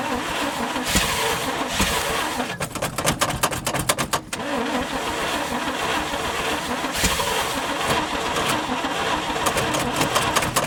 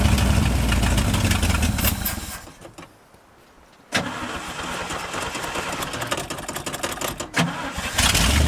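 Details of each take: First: 1971 International 1890 plow truck, off the road since 2001, after carb rebuild with float bowls filled: starter cranks in quick even bursts without firing; not yet pulling fuel, possibly flooded. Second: 1971 International 1890 plow truck abandoned since 2001, revived after carb rebuild and new fuel line. Petrol engine catches after a short quiet gap and settles into a fairly even idle, about four beats a second; normal idle.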